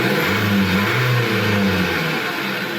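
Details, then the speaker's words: 2021 Dacia Dokker 1.5 dCi with AdBlue, misfuelled with petrol so it ran badly and sounded like rod knock; after cleaning the fuel circuit and adding diesel, it runs with an even, steady low drone and no knocking or missing; normal idle. "fonctionne maintenant correctement, c'était le problème qu'il avait ;"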